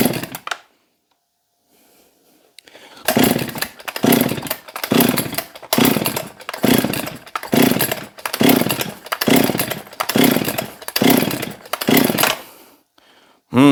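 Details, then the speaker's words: Husqvarna 262XP chainsaw, freshly cleaned and pressure-washed, air filter off, choke on: about eleven even pull-start cranks with no firing. Cranks but won't start; spark is present, and the owner suspects water got inside. "have fired should have fired by now well let's see if it's getting sparked"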